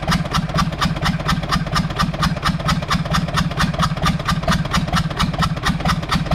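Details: Universal 550 diesel tractor at idle after the injector tested fine; it earlier showed blue smoke and stumbling. A heavy, regular knock about twice a second rides over the idle. The connecting rod bearing is gone, with vertical play.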